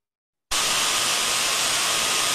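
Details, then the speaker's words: Ultrasound listened on the body of a reduction gearbox, listening to its internals: steady, smooth, uniform hiss with no knocks or crackles. A healthy gearbox. "smooth and uniform in nature that's just what we want to hear"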